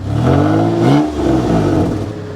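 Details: Mitsubishi (likely 3000GT) at Copart Indianapolis, long unrun, slight bluish oil smoke, may need engine mounts: engine climbs cleanly through a couple of quick blips and settles without stumbling or rattling; normal healthy free rev.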